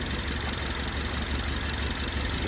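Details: Ford Taurus 2018 turbo four-cylinder, customer complains of strong shaking, code P0301: uneven low idle thump with a regular skipped beat, cylinder 1 misfire.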